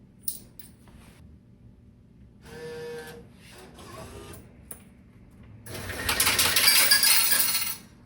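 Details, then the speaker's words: Laundromat coin changer after its jam was cleared: two bursts of quarters clatter out smoothly one after another as it pays out, first five, then four. The machine is now dispensing normally. "Ah, it did give me five. Aha, there we go. We got four this time."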